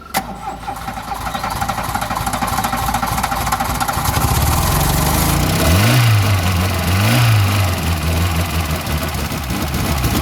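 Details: Classic VW Scirocco Scala after sitting 6 years catches on cranking with throttle applied straight away, then holds a low, slightly uneven beat with throttle swells; runs, oil smoke smelled.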